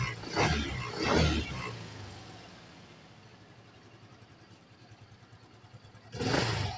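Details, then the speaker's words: Yamaha Mio Gear scooter, odometer about 4000, fuses checked, won't push start: engine bursts into revs then sags and dies, repeatedly won't restart though brake light and brake switch work. "a patay na naman wala na naman patay na naman patay na naman ayaw na mag-start ayaw ng magstart"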